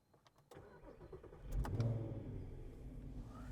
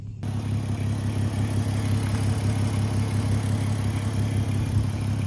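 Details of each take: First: 3.2 litre V6 quattro donor car on a test drive, front suspension done, rear shocks still worn: short crank, clean catch and quick flare settling to a steady even idle; engine sounds healthy. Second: Audi 3.2 V6 quattro donor, engine still cold: loud, raspy low idle with fast, slightly uneven pulsing and rough edge from a blown exhaust.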